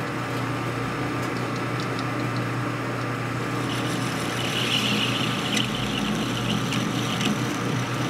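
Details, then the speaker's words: Machining a 1957-70 Harley XL Ironhead kicker gear for a ratchet plate install: a steady drone with rough irregular chatter, probably from the carbide bit. It cuts better once the tip breaks off. "You hear that trunking noise? That's probably the bit."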